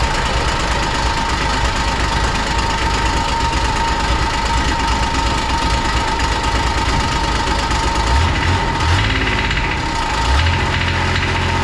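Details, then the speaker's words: 2001 Kawasaki Mule 2510 diesel idling with a loose, busy metallic rattle over the low chug. The rattle was bad at idle and faded with a little throttle. It stopped once the clutches were removed, confirming a worn CVT drive clutch bushing. "Now this machine rattled really bad at idle. It would go away once you gave it a little bit of throttle, but I wanted to confirm whether or not that was coming from the clutch"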